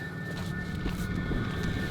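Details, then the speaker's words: Newly installed diesel air heater in a Dodge Journey conversion van, running after a long priming period and blowing warm air: steady low hum and whir with a faint tonal whine; normal running. "we're back and the heater is running"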